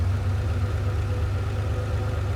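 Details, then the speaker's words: Ferrari 512BBi after carburetor mixture adjustment: deep even idle, low steady rumble, no misses; engine smooths once adjustment hole is covered. "The engine smooths out as soon as I cover the uh the adjustment hole over."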